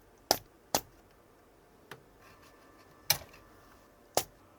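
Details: Goldstar FA-785 integrated amplifier: every front-panel button press sends a sharp tick through the speakers; it persists after replacing the regulator capacitors, and a faulty zener diode in the voltage regulator is suspected.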